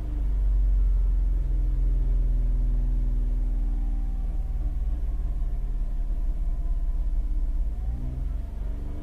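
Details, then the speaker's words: Holden Captiva Chevy V6 with crank-but-no-start fault, power balance test held steady near 2500 rpm: deep, uneven, shaking rumble as cylinders 5, 6 and 3 are disabled. Misfire on three cylinders. "so number five dropped off number six dropped off a little bit let's see what number three does number three I suspect this one's going to drop off massively as well see that drop off an RPM immediately"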